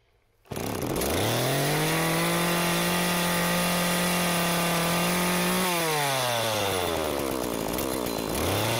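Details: McCulloch Eager Beaver Super 2318av chainsaw, bar off, run after oiler teardown (no bar oil): catches and rises to a steady high rev, dips, revs again, smooth and even; runs normally.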